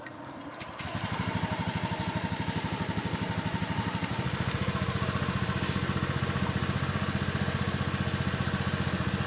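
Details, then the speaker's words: Honda Beat eSP scooter engine just started, with a J-Diag M100 Pro scanner connected: clean start, then a quick, even putter at fast idle with no misses or knocks; normal high cold-start idle that will settle, set near 1600 rpm. "Putaran mesin masih tinggi karena masih baru hidup. Nanti lama-lama juga akan turun sendiri."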